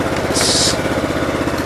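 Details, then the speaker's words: Cub Cadet 1884 twin-cylinder engine before repair, with a bad right-hand coil: uneven, lumpy putter with a skipping beat on every cycle; one cylinder is dead. "Here's a good before. You can definitely hear the dead cylinder now."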